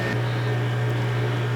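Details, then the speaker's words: Old refrigerator with ice maker, original to the house: loud, steady low hum that holds throughout, noisy: loud refrigerator hum. "this is the fridge that came with the house wow that's an old one yeah it's noisy too hear that it is noisy"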